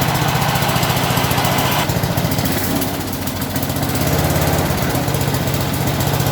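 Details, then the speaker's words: 1983 John Deere small single-cylinder engine, started on choke after fitting a battery, previously run out of fuel: steady fast even chugging with no misses or knocks; normal running. "That just sounds great. Sounds good. Still runs perfect."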